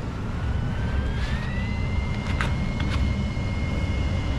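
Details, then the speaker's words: Goodman AC return air, just finished install: steady rushing air with a thin whistle that climbs slightly and holds, return sucking hard through a restrictive Kirkland MV 2500 filter; homeowner declined an Aprilaire, needs a less restrictive one-inch filter. "I don't know if you can hear that but it is sucking hard I tried selling him an April air but he didn't want an April air so he's going to have to go with the old cheapos or a little bit less restrictive onein filter"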